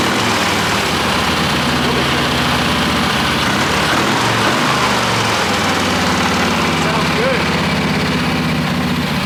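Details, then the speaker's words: Wheel Horse mud mower with a newly fitted Kohler Magnum 18 hp opposed twin, still needing some tuning: steady low chugging idle with an even pulse and no knocks or misses; idles and throttles well. "Stefan has some more tuning to do with it but he's already gone out and driven it around some and it idles up and down and the throttle works pretty good"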